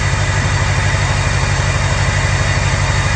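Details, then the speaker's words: 6.0L Power Stroke diesel V8 after replacing the number 8 fuel injector: smooth, even idle with a steady low pulse and no stumble; the previous miss is gone. "Yeah, there's no miss. You could hear a miss before, and now it just sounds like a vacuum cleaner."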